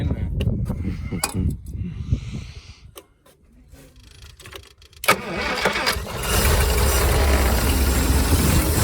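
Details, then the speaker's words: Late-60s/early-70s Towmotor forklift flathead six side-valve, semi-seized after sitting for years, first start: catches after cranking, idles unevenly with a dull low knock from the bottom end. "oh what's going on there laughs what's going on oh this is admiring that big knock in the bottom"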